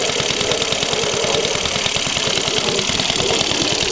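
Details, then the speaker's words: Scratch-built home-made steam car, owned for about 15–20 years, running on compressed air instead of steam (boiler blew up on first run); relatively quiet engine at slow speed, crisp regular chuffs about three per second, running smoothly. "The engine runs relatively quiet. He definitely doesn't run very fast."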